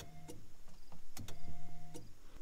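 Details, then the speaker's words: 1988 Fox body Mustang coupe, key in run position: relays click irregularly as fuel pump hum cuts out and returns; faulty ignition switch contact, car fires only when key is jiggled. "the problem was literally this ignition, guys. There's clearly a contact in there that isn't good."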